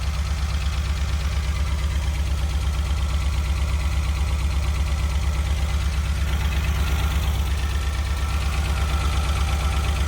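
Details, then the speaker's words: Renault Alpine GTA Turbo, long-stored, first running on starting fluid: low idle with a steady stumbling pulse about 100 a minute, like one cylinder dropping out; misfire from an injector not fully plugged in. "That injector was not plugged in all the way. Wow. Let's see if it runs smoother now."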